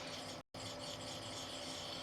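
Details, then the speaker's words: Samsung DLP television color wheel, removed and spun by hand: steady dry rasping rub from worn bearings dragging, normally spinning around 7,000 rpm; wheel shows wear, replaced with new one. "I just gave the color wheel little Spin and uh I don't know if you can hear it on the tape but I can"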